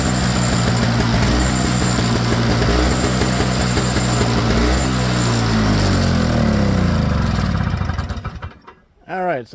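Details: Toro Snow Clear snowblower model 38581, Briggs & Stratton R-Tek 141cc engine, started after a part was pinched together with needle-nose pliers to stop idle surging: speed hunts with a rising and falling beat, then shuts off.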